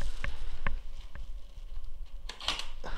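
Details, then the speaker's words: Mercedes E55 engine and electronics out of the car, battery just connected, key inserted; couple of sharp clicks and short whirr as the steering column lock deactivates, showing the key was detected, normal. "right so that's good that noise was the steering column like the lock on the steering column deactivating so that's good that means that it's detected the key"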